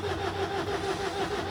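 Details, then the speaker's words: 2018 Ford Transit 2.0 EcoBlue diesel with cold hard-start and rough running, after injector replacement: steady fast cranking whirr with even compression pulses, no catch, rail pressure rising from 4.5 toward 250 target; cranking time limit exceeded. Fuel not primed. "right so I've exceeded the cranking time on that but for now then what's the way I believe it's like 15 minutes rest time on this"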